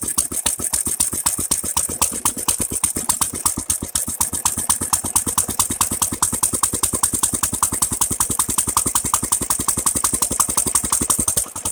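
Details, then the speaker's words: Nearly 100-year-old Standard Monarch tractor, previously seized, after freeing the crank, cleaning valves and fuel tank, fitting a carburetor and new spark plug, choke off with a little throttle: runs on its own with quick, even firing pulses, healthy. "how about that guys pretty damn impressed nice"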